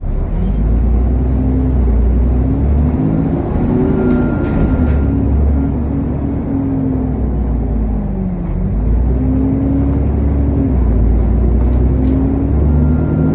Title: SN61 DDE E210 Thrash Cooling Fan Turbo whine